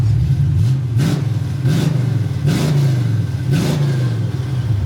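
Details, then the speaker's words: 1954 Chevy pickup V8 test-fired with new Flowmaster mufflers tacked on. A deep, even rumble blipped about four times, quieter than before and with no rattles or leaks; sounds like a sports car now instead of a dirt track car. "Yeah, that sounds a lot better. Sounds like a sports car now instead of like a dirt track car."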